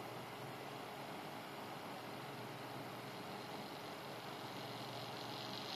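A steady rushing whir with a thin constant tone riding on top and no speed change; this cooler fan sounds off and needs checking.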